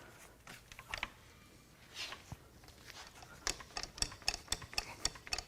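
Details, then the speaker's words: 2020 Chevrolet Malibu 1.5L turbo LFV engine, replaced at 98,000 miles, turned slowly by hand with no oil pressure: light uneven clicks about four per second. Possible timing chain noise from the unpressurised oil-fed tensioner; otherwise normal. "I do hear some timing chain noises but that could be because it might have an oil pressure fed chain tensioner and right now there's no oil pressure"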